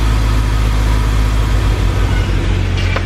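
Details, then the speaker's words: Car restarted after tensioner repair: even, steady low idle with no rattle or tapping, unlike the heavy tensioner rattle before; the engine sounds smooth and settled. "That was a lot of rattle from that tensioner. That sounds great. I think he's going to be excited."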